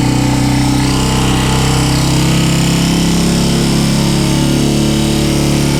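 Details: Royal Enfield Himalayan with dead battery, jump-started from an old Bullet: single-cylinder settles into steady, even idle with smooth low thump, no misfires or knocks; battery issue recurs. Normal idle.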